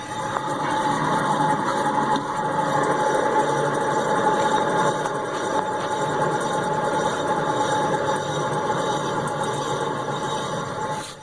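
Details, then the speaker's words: 2007 Honda Odyssey, left rear wheel bearing: raised wheel spun freely gives a steady gritty grinding whir with faint whine; brake pads clear of rotor; wheel play; noisy above 40 mph, howls driving; worn bearing replaced. "You probably can't see that because of the way I'm holding the camera, but you can certainly hear it when we spin the tire, and you'll kind of hear kind of a grinding sound. It's not the brake pads; they are clear of the rotor. It's actually the wheel bearing itself."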